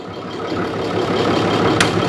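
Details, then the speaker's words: 2012 Ram 6.7L Cummins diesel with aftermarket S&B intake, condemned elsewhere for fuel in oil, warmed up to temperature: steady, even idle clatter with no misses or knocks, oil cap stays still; normal idle, engine judged fine. "So I tend to think this engine is perfectly fine."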